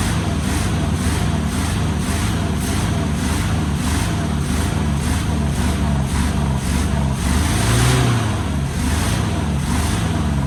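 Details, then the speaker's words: 1973 Chevy K5 Blazer 350 V8 just started after sitting about 30 years, packed with rat debris: a lumpy, uneven, loping low idle with puffing exhaust as it spits out junk and burns acetone off the manifolds, then settles. "And when we were kind of started earlier, it kind of sounds like it was full of junk. So, let's Oh, that don't sound great."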